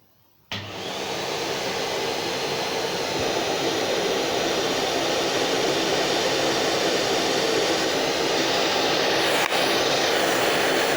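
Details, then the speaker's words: Numatic Henry Xtra vacuum, about nine months old, with the normal nozzle and no brush roll: it switches on and settles into a smooth, steady, much quieter rush of air with no rattles; normal running. "as you can tell much quieter much much quieter"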